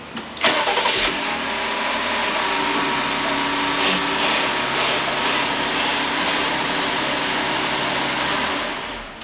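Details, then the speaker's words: 2019 Jeep Grand Cherokee Altitude 3.6L Pentastar AWD, after long-running no-start fix, fuel pressure now 32 psi (was zero): brief crank, fires at once into steady even idle with no stumble; normal start. "so let's do a fire up everything sounds good"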